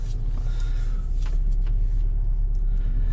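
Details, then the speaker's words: 2010 VW Eos 2.0L, hard to start, black smoke, check engine light flashing: uneven lumpy idle with irregular throb and stumbles from a misfire; suspected leaking injector pouring in fuel, not confirmed. "there's a misfire where's the black smoke we got black smoke black smoke should definitely miss firing you can see the check engine light flashing"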